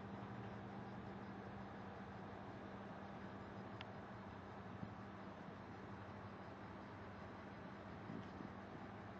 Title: Desktop buzzing noise